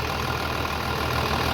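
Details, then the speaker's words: 3588 diesel idling after an engine rebuild with new cylinders and pistons; steady, even, low smooth beat with no knocks or rattles, very quiet; the new hood fits tight without rattling; normal diesel idle. "she's just she's so quiet the new hood's not rattling fits good and tight"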